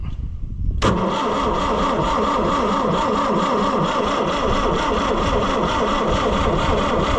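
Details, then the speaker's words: Oliver 550 diesel tractor, injection lines loosened: steady rhythmic cranking chug that never catches; no fuel even with number one line removed, injection pump gummed up and stuck, must come off for rebuild. "I pulled the number one injection line all the way off and I'll crank it and no fuel comes out. Like none. So, this one is just like that other one, but worse. It is gummed up and stuck and it's not going to do thing."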